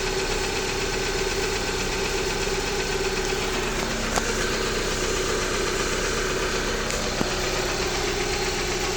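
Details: Jeep Patriot 2.4 with an engine knock that appeared a few days ago: steady idle with a faint, regular knock under the engine note that does not change as the engine warms; cause unknown.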